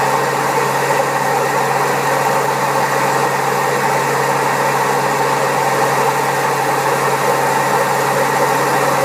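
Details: Old Servis Caress 1300 A washing machine, also with a creaky pump, spinning at 1300 rpm: loud steady rushing roar with a constant low hum, harsh rough drone; very bad drum bearings.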